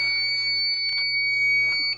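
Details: Edwards fire alarm panel after reset; steady high buzz holds about two seconds then stops, the panel's trouble signal. Fire alarm panel trouble signal.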